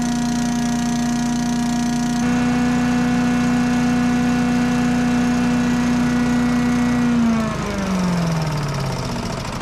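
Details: Old yard vacuum's small gas engine running for winterizing after a mulcher jam was cleared, on stabilized gas. It holds a steady, even drone, then winds down smoothly at shutdown, with nothing binding: normal running.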